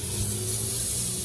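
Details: HVAC condensing unit, refrigerant added to circuit then spewing out from a leak heard but not seen, found at back: steady high hiss over the unit's low hum, unchanging; pressurized refrigerant escaping from a leak.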